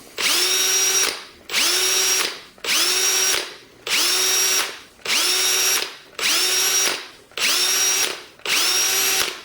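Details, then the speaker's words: Milwaukee 2607-20 cordless hammer drill whines up and is released about once a second, cutting off hard each time; the abrupt stop's chuck inertia loosens the chuck so bits fall out. "so it's when i release the trigger it stops so abruptly that the inertia of the chuck tends to loosen"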